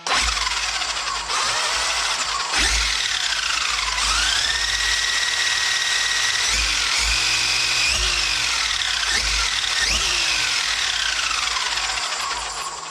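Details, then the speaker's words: Traxxas XRT conversion: electric motor whine rises and falls with throttle, with high squeaks over the spinning drivetrain. The front and rear diffs are not yet greased. "sounds like a squeaky X-Max. Listen to those squeaks. Listen to that squeak already. Alright. Well, nothing's greased up. I obviously do have to grease up now my front and rear diffs."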